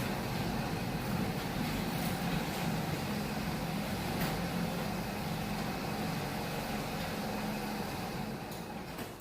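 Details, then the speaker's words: Genie screw-drive garage door opener running in direct sun, cables previously off and track widened months earlier: even steady motor hum for the whole travel with only light ticks, no grinding or binding; normal opener run. "Nope, just works like it should. Just like an old mule, just works."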